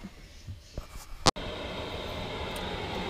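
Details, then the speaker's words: Chinese diesel air heater in a motorhome at maximum 5.5 Hz pump speed: steady roaring fan and burner, running very hot, 110 °C output with 9 °C outside; normal full-output running. "there we are, running at 5.5 hertz, the maximum speed for that controller. It's running very hot."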